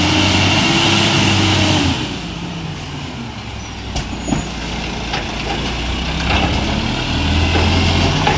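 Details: Euro6 diesel refuse truck idling with an odd, unique rough puffing note chuffing about three to four times a second, attributed to an exhaust leak.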